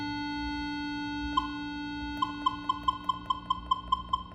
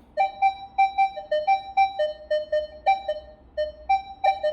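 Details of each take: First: Minelab Equinox 600/800 metal detector with volume at maximum (25) and the threshold level raised: a steady faint background tone holds, then quick short beeps about twice a second. A deep target would alter this threshold tone. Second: Minelab Equinox 600/800 metal detector over an open bottle cap: short beeps about twice a second alternating between two mid pitches, reading slightly negative (ferrous). The cap alloy contains some iron.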